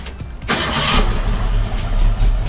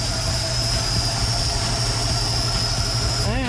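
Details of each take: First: 1965 Ford Mustang V8, warmed up, Holley 4010 carb, electronic distributor, after idle mixture screws turned in from three-four turns to two and timing checked (46° at 1080 rpm): brief rev blip then low, steady normal warm idle. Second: 1965 Mustang Ford V8 with a rebuilt Holley 4010 carburetor idling at about 750 RPM with 14 degrees initial timing; a thin steady whistle over the idle rumble from a suspected vacuum leak somewhere on the carburetor.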